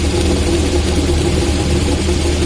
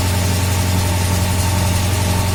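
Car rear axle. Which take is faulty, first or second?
first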